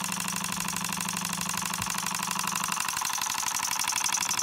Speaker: and look how nice this one runs let's turn it down nice little oscillating engine listen to that sound